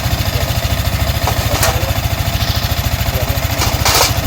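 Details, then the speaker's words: Yamaha Sniper 155 after water pump repair kit replacement, checked for the earlier whistle: single-cylinder idle thumping evenly with no whistle or squeal; engine runs healthy. "Tumutunog 'to. Ngayon pakinggan natin. Okay. Wala. Hanggang sa uminit."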